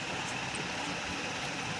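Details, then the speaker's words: Running ceiling fan gives a steady thin whine over an even airy whoosh, caused by a worn motor bearing. "Problem है इसका bearing का जो आवाज ए रही है प्रॉब्लम सॉल्व कर सकते हैं"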